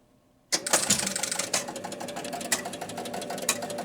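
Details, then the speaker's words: Williams Pat Hand electromechanical pinball machine after pressing start: nonstop mechanical ticking over a motor whir as the score motor turns constantly. The bonus unit is not resetting. "same problem we had before. The bonus is not resetting. Hear the ticking. Okay. Score motor's turning constantly."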